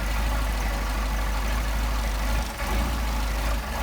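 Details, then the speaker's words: Engine on Solex 44PHH carburetors idling after a screw was backed out a smidge so the second-barrel butterfly does not bind: steady, even low rumble with no hunting or surging; normal idle. "Just that little tiny teeny amount is all we needed to where we know we do not have binding on the second barrel butterfly."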